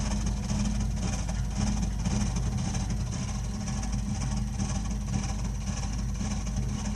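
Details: Burnham Alpine ALP150W gas-fired boiler, 3 years old, frequently rumbles when running: deep uneven rumble throbbing roughly twice a second under steady burner roar; cause unclear.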